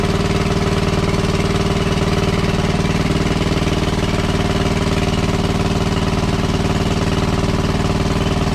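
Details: WWII Chore Horse 300-watt battery charging set, model CH1 395-5, original 1940-41 paint, cleaned not refinished: single cylinder thumping at an even, steady rate, no misses, knocks or speed swings; runs well and works great.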